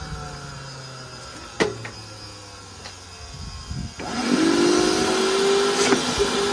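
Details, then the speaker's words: Industrial vacuum cleaner motor switched on: loud roar with wavering, unsteady whine and RPM audibly dropping; one rotor armature winding failing, suspected not confirmed. "you can actually hear lowering the RPM that's because um on the inside it maybe start sing on the inside or something like that it's just failing the rotor Armature"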